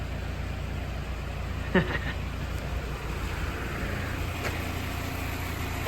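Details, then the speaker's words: 1942 Willys MB four-cylinder idling after an engine service and fresh oil. Oil pressure sits nicely and temperature is good. Steady, even low rumble with no knocks or misses; sounds good, normal running. "know pressure is sitting nice she's running good temperature what you reckon reckon sounds good"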